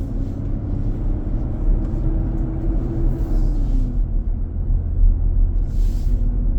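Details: New 2023 Nissan Armada, about 4k miles, driving on a hot day, cabin near 95°F: deep heavy roar swelling and fading under road noise; happens almost daily. Fan clutch roar.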